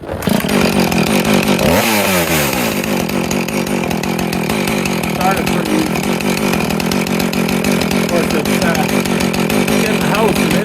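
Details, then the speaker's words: Husqvarna 450 X-torque chainsaw started warm after repairing the broken ground wire that stopped the kill switch working: it fires and quickly rises to a high rev, then settles into a steady buzzing run with no stumbling, running normally. "there we go got that fixed it only took two days and a couple of three attempts I had the whole darn thing torn apart and it was just a broken wire"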